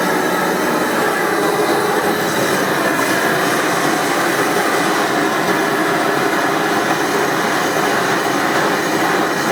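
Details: Amal gas forge burner on fairly low gas pressure: constant even rushing roar with no sputter or pulsing. Normal burner roar at low pressure.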